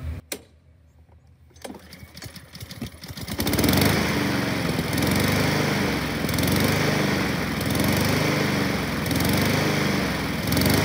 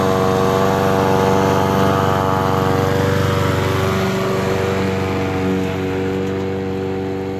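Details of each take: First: Honda HRN 216 walk-behind lawnmower, a few months old: engine runs unevenly, speed rising and falling in waves; rough idle/surging from a clogged pilot jet on top of the carburetor. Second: Honda HRN 216 petrol lawnmower after its surging and rough idle were fixed by cleaning the carburetor pilot jet: the engine holds a steady, even speed with no surging or hunting.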